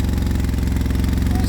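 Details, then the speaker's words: Project quad starting after CDI unit fiddling; carb is out of adjustment so it roars on startup, no smoke. Fast, even low thumping around twenty beats a second; high idle, engine racing. "The carb is a little bit messed up. It needs adjusting, so when it does start up it roars a bit,"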